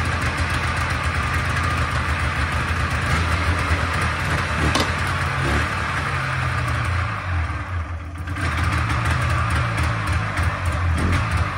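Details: Polaris Trans Sport snowmobile two-stroke twin on its first run after 10 years sitting, on choke: catches with a busy, uneven burble and a brief rev dip, then settles, smoky; it runs.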